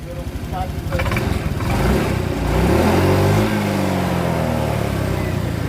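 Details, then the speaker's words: Honda Vario 125 scooter after fixing cam chain rattle from a broken tensioner spring; revs up and settles back to a smooth, even idle with no ticking or rattle: noise gone, normal running. "mantap ya sudah hilang suaranya nah Hai sudah halus"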